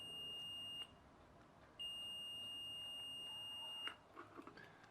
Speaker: so if we go across the fuse yep fuse is okay